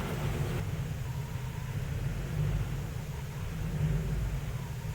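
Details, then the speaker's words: 2005 Ford Explorer with code P0190 among 14 codes, before the TPS was changed: a deep, unsteady idle rumble that wavers in strength, which is a rough idle. "That's what it's doing right now. It's not. It's a rough idle. This is before the TPS is being changed."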